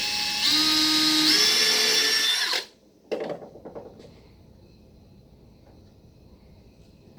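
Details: Power drill driving a screw into wood through a pre-drilled pilot hole: a steady high motor whine, pitch easing slightly under load for about two seconds, then stopping. Smooth, normal screw driving.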